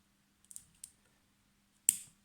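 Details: Pneumatic solenoid valve on a bench with a vacuum gauge, being powered for a pressure-hold test: faint hum, then one crisp click as the coil pulls in and the valve snaps shut. Normal operation.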